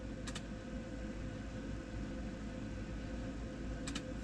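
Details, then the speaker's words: 2008 RTV 900 diesel, cold start preheat with the heater light on: crisp double click about every three and a half seconds over a low hum; normal glow plug relay cycling, run about 10 clicks before starting. "so what I do is I usually count to about at this time of the year and in this condition of weather I usually run it about 10 clicks before I fire it"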